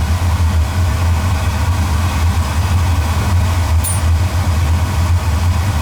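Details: Oil-fired boiler burner, about three years old, at a service visit, just after lighting: a steady, deep roar over a constant low hum with no pulsing or rumble; firing evenly and running normally.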